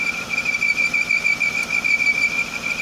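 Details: 1995 Jaguar X300 4.0-litre six-cylinder, cold engine: steady high-pitched squeal at one pitch over the engine, a bit quieter than at first; accessory (alternator) belt not tight enough and slipping, being re-tensioned.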